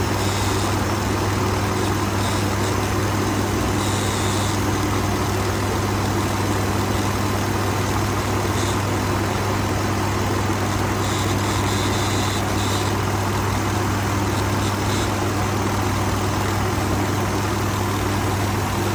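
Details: 2019 Ford F-150 XLT 5.0 V8, bought used at 43,000 miles, idling with a steady low buzz over engine hum; owner reports rough idle and intermittent stalling, cause unknown.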